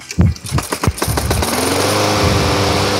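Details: Craftsman lawn mower that previously vibrated badly, after repair, running with some oil smoke burning off: a few uneven pops as it catches, then a steady, even buzzing run with no wobble or knock; running normally.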